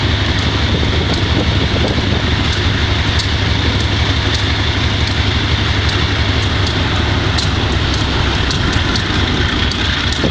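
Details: GE B30-7 diesel locomotive with bad injectors: heavy drone with ragged, uneven beat and stray ticks, misfiring; air intake and some injectors changed and valves checked.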